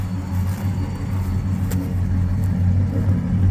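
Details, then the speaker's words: 1963 Ford F100 short-bed stepside V8, original-condition farm truck, in neutral with hood open, given a rev: deep, even low exhaust burble with steady beat, no misses or knocks; slight whine thought to be new alternator. "there's just nothing like the sound of a V8 give it a little rev yeah you can rev it up perfect to me that is like the perfect ex sound"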